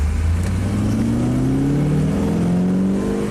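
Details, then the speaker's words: 1968 Corvette on road test, accelerating in second gear: smooth engine note climbing steadily in pitch, even and strong with no knocks or misses; normal healthy acceleration. "That sounds good."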